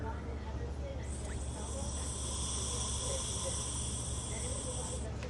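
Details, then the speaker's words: Mazda EVAP solenoid valve off the vehicle, code P0442: with power applied the valve should close, yet air blown through the hose gives a thin, steady hiss out the other side; broken internals and failed seals cause the EVAP leak. "I don't know if you could hear that, but yeah, we're definitely getting air going through the other side. So the valve inside, it's broken up and the seals aren't sealing properly."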